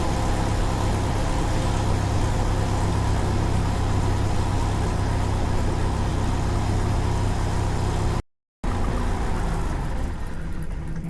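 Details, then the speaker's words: 1993 Jeep Wrangler YJ 2.5L during ignition timing setting, about 8 degrees; uneven, lumpy idle with an irregular low thump, the engine idles rough. Owner suspects a vacuum leak or exhaust leak. "Well, see, that's what I've been dealing with."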